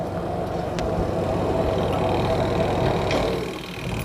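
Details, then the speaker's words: Aqua twin-tub washing machine spin dryer after replacing the broken motor brake cable (rat-chewed wires also found): even whirring hum holds steady then eases as it slows; spin tub now turning smoothly. "Kita cek. Nah, dia udah memutar ya."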